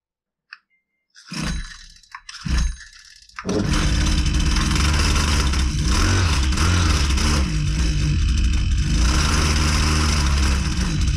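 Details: Husqvarna 122C two-stroke string trimmer, reported not running right, starts after pulls and runs roughly with wandering speed: four-stroking from an over-rich carburetor, adjusted by leaning out the mixture.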